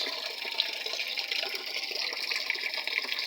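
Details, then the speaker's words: Panasonic 7 kg top-load automatic washing machine after its corroded control board was replaced, water level set to middle: steady hiss and splash of water filling evenly, with no buzzing or stuttering valve; normal fill. "So dyan, ipinos ko, minto yung pasok ng tubig. Okay na. So yan, start ulit."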